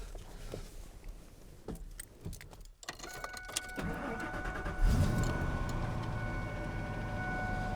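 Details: Truck with a completely dead battery, jump-started with a jump pack after about 30 seconds connected, at a campsite: keys rattle, a short crank, then the V8 catches cleanly and settles into a steady idle with no stumbling.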